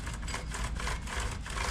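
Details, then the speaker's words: Chainsaw with engine off, new chain being fitted and turned by hand after tensioning to the max; rough jerky clicking as it is pulled round, herky-jerky motion; chain too tight and binding on the bar, loosened for free flow. "You can hear it even. Click, click, click, click, click. See how herky-jerky it is?"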